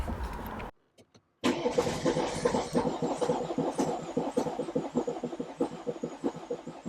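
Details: BMW F11 520d diesel started after a cam cover gasket replacement, injector seat cutting and fuel system bleeding: a brief crank, a clean catch, then an even diesel clatter with steady beats at idle. Normal start and idle.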